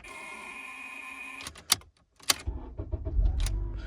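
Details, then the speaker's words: 2003 Honda Accord no-start: steady electrical buzz when the key turns, then clicks and rumbles but no start, caused by poor connection in the ignition switch, not the starter. "foreign you can see this is the Honda 2003 Accord is because the connection of the switch is not good you hear the buzzing sound"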